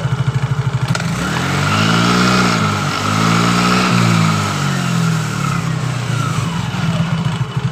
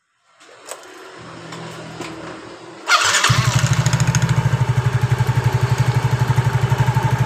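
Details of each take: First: Yamaha Mio J scooter, heavy pull from standstill and at mid throttle but normal at high rpm, revved on the stand. The note swells and sags without crisp pickup: CVT clutch slip at the clamping of the secondary pulley bell. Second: Mio J scooter, heavy pull at launch and midrange with mid-range vibration, after roughening the clutch bell and clutch linings; worn pulley found: starter whirrs, then a steady, even single-cylinder idle.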